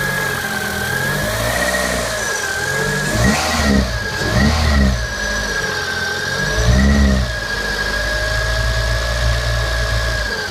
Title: Clio 197 Strange Engine Noise Cold